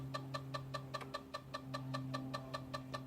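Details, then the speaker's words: Zenith Z-NoteFlex NTB005 laptop hard drive giving disk I/O and data read errors: sharp regular clicking about two and a half per second over a low hum while booting; drive suspected to be failing. "wow that really sounds like crap it seems to still be working but damn that sounds bad"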